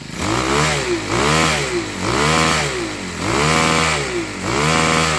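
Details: Troy-Bilt TB6044XP string trimmer after overhaul and maintenance: small four-stroke buzzing up and down in clean throttle blips about once a second, smooth pickup and return; normal revving.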